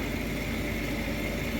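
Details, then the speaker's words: Payne furnace draft inducer after motor replacement, old motor had made a chopsaw-like noise; smooth even hum with steady mid-pitched whir, no chopping or grinding, sounds way better, furnace then lit; normal operation. "oh okay that sounds way better than the old motor"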